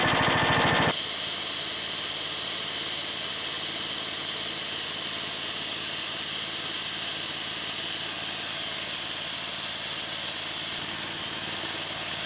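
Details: Harbor Freight engine-driven V-twin compressor, new pump, at cut-out near 125 PSI: after a short engine burst a loud steady hiss starts abruptly and holds evenly; unloader venting normally.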